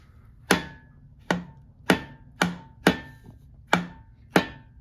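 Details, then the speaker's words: VW Type 4 1700cc engine with case split open, connecting rods rocked by hand on the crank: seven sharp metallic clunks, one every two-thirds of a second; excess rod play, about the same on all rods. "I know it's a little shaky but I'm sure you can hear it moves quite a bit I know there's supposed to be a little bit of play in there but those are excess in my opinion"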